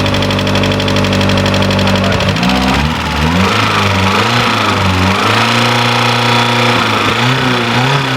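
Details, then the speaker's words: Ford TX3 Turbo B6T twin cam, first start after fitting new injectors and plugs; catches, pitch rises and dips as revs settle, then holds a steady even idle; running properly now. "as soon as i hit the key there with the new injectors and the other plugs that's how it idles right up like that"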